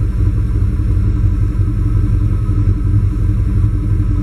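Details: Warm GM 87-95 throttle-body-injection truck with OBD1 code 45, running rich: deep lumpy idle with uneven low pulse about three beats a second that never settles; rough idle, O2 sensor suspected.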